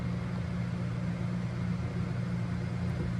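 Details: Old 2200 W Giandel inverter on owner's battery bank powering a 900 W microwave heating water for 30 seconds; low steady hum with faint fan rush, level and unbroken; normal operation.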